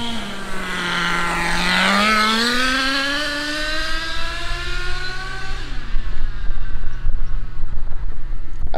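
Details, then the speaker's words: HSP nitro rally car after a carburetor fix: the engine screams up and holds high with no drop when the shift should come. The two-speed gearbox is not shifting; adjusting it to shift earlier is planned. "not hear it shifting at all it's not shifting all right well it didn't shift so let's go adjust it see if we can adjust it make it shift earlier"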